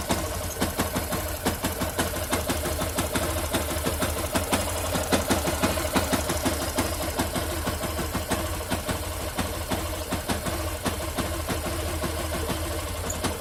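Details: Engine at steady idle with a light, fairly quick ticking of about three per second on top. Something sounds off, but the cause is not identified. Abnormal engine ticking.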